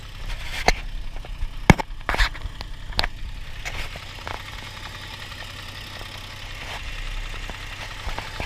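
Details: Warm idle of a Toyota 1G-FE (Altezza / Lexus IS200) with a low rumble and a few sharp irregular knocks that settle, coming from the front of the engine under the timing cover; owner suspects the VVT coupling, unconfirmed.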